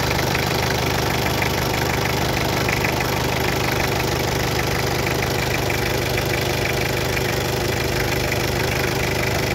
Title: Hyundai h100, Hyundai porter, Mistubishi L300 no power, white smoke, Stalling .